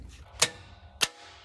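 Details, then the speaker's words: LMTV military truck, engine off: two crisp clicks about half a second apart as 24 V is fed straight to the fuel shutoff solenoid; solenoid works on direct power but gets no feed with the truck switched on, relays and wiring to be checked. "اور ہمارے یہاں solenoid کو ایندھن بند کر دیا جاتا ہے جسے ٹرک کے ساتھ آن ہونا چاہیے تھا لیکن ایسا نہیں ہے"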